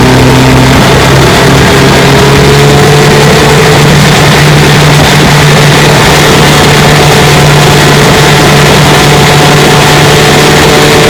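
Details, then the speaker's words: 1954 Johnson QD-15 10 HP two-stroke outboard after restoration, pushing a 14-foot boat about 17 mph: steady even buzz holding one pitch at cruising speed, no misses or knocks; runs healthy. "She runs pretty good."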